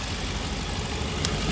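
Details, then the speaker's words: 2007 Ford Explorer V8, 115,000 km, under-hood idle during inspection, fresh oil, no frothing, belts and hoses good: short low, even burble, no ticking or knocking. Runs smooth, normal idle. "seems to run smooth enough"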